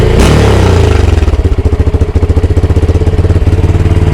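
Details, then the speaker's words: 2022 Honda Grom single before repair: after a throttle blip it holds a fast, steady idle on its own instead of dropping back; also limited to 6,500 rpm and misfiring. "So you get a wee blip of the throttle and it'll just sail away. It's going fast idle itself."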